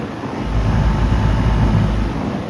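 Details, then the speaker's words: 2002 Goodman CKL outdoor AC condenser running constantly since yesterday morning; steady low hum from compressor and fan, no knocks, rattles or squeals; normal running. "I don't think this thing has shut off since yesterday morning. It sounds good."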